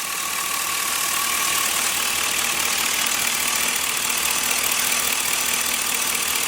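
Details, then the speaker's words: LS-swapped engine after the misfire fix, before warm-up: steady, even idle with no stumble or skipped beats under a lot of hiss; the miss is gone and it runs smoothly, power steering may need fluid. "But it's not missing no more. That's good."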